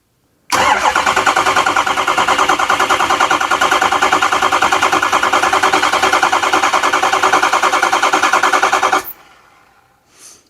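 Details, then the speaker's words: 2005 Ford F350 6.0 Power Stroke diesel, neglected about two years, after oil change: starter cranked via solenoid wire jumped to battery positive, even chug about three beats a second for eight seconds without firing, priming oil. "Give the starter a second to cool down. Let's hit it one more time. Alright, that should be primed enough."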